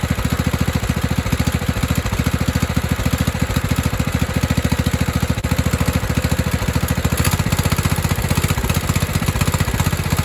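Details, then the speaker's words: 1997 Craftsman mower with 16 HP Kohler Command single-cylinder engine, after carb cleaning and refuelling: a steady, even thump with no hunting or misses. It had sat a while and was nearly out of gas. "because he said it had been sitting for a while I think I started running good because it almost ran out of gas"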